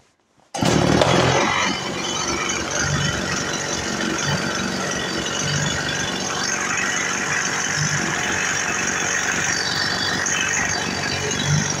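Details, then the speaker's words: Freshly reassembled Stihl MS 180 chainsaw after carburetor idle-speed adjustment, on its second tank of break-in fuel. It catches and settles into a steady, even buzzing run with no misfires or surging. Fully functional: normal running. "Pila je poskladaná, plne funkčná, beží. Ešte nechám vypáliť jednu nádržku benzínu celú."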